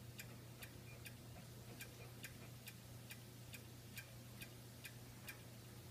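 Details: Xbox One: sharp, evenly spaced clicks about twice a second over a low hum in sleep mode; also clicks while running, with or without a disc in the drive. Cause unknown.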